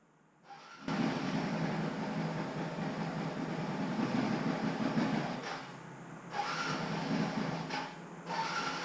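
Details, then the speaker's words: Lumpy, uneven idle sagging as if about to stall on a 2009-2012 Yamaha Raptor 700R after a new spark plug; dies on quick throttle and backfires, owner suspects old fuel. "so it will idle but it will die if you hit the throttle too quickly and it's backfiring on throttle"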